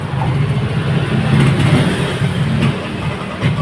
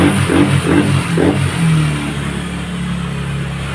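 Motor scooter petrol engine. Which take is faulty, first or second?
first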